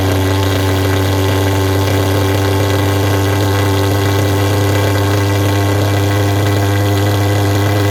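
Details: Vectorfog H100SF pulse jet thermal fogger, fired by holding the start button eight to ten seconds: loud, steady, even roar at one unchanging pitch with no popping or stumbling; running smoothly.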